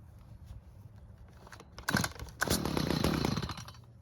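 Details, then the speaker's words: Stihl two-stroke hedge trimmer stored with old fuel; after L screw turned out a quarter turn for more fuel it keeps running with an unsteady idle buzz, but flares harshly and dies when throttle squeezed; low-speed mixture too lean. "So, the extra fuel helped out a lot and kept the engine running. However, when trying to squeeze the throttle, it stopped."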